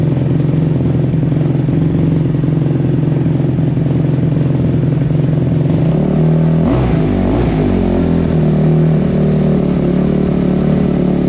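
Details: 2005 Kawasaki KX250F single-cylinder four-stroke, first start after carburetor clean (clogged pilot jet), run without choke: rough, ragged running that stumbles as throttle is blipped; owner wonders if it's too lean.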